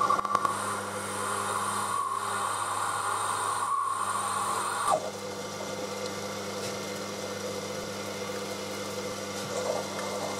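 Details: Lathe cutting a machinist's jack center: thin steady ringing squeal over quiet motor hum for about five seconds, then stops; tool chatter in the cut.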